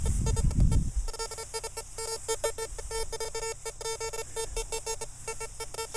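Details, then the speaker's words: CF77 metal detector with a 9-inch coil, run hot on wet grass: choppy, broken low tones stutter over the hiss in fast irregular bursts, a grunty signal indicating an iron target. "so you guys that are using the cf77 there's our iron"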